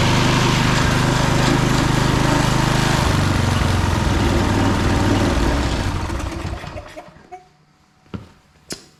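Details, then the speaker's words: Husqvarna HU 625HWT four-stroke string trimmer after repair, started after a couple more primes: fires and holds a clean, regular beat for several seconds before shutdown; normal start and run. "And let's see how it starts. Needs a couple more primes. Never know how many to give it."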